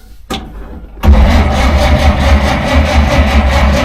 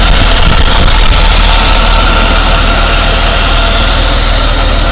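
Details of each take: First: 1947 Dodge, carburettor engine reluctant to start after fuel supply problems; choke linkage jiggled, choke not coming on properly and butterfly sticking: starter churns evenly but never catches; flooded engine cranks but won't start. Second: 1947 Dodge engine idling steadily and evenly, warm, with no misses or knocks, after carburettor work for fuel-supply problems and reluctant starting; owner cautions warm running may be a false dawn.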